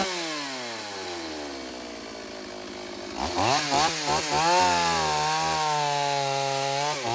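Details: Stihl AV 028 Woodboss Super chainsaw after a fuel line and filter fix for lean bogging, making quick cuts in wood with the air filter off: it revs cleanly, holds steady revs through the cuts and drops back smoothly with no bogging.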